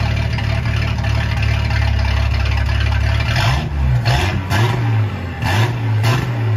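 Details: Ford 300 inline six, first fire-up with newly finished turbo header, exhaust cutouts open: loud, even idle, then four quick throttle blips rising and falling cleanly with no misfire; normal revving.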